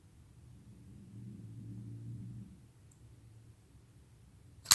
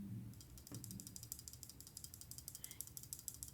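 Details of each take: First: Tonto-blade flipper pocketknife on multi-row bearings: one sharp clean snap as the blade flicks out and locks, no grit or drag; well-tuned detent, normal deployment. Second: Pocketknife shaken: light quick irregular metallic ticks from something loose in the handle; owner suspects a screw or barrel under the back spacer, couldn't find the cause after disassembly.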